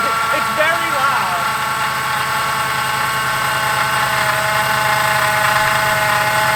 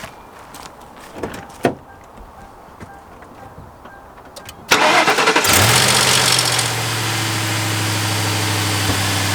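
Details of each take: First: Ford Crown Victoria/Grand Marquis (2003–2011) running at idle before repair: steady whirring drone with a rough bearing edge from the serpentine belt drive; worn idler pulley bearing, to be replaced. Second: Ford Crown Victoria/Grand Marquis after replacing belt tensioner, idler pulley and serpentine belt: engine cranks, catches and settles into a steady, even idle with no squeal, chirp or rattle; belt tracking properly; normal idle.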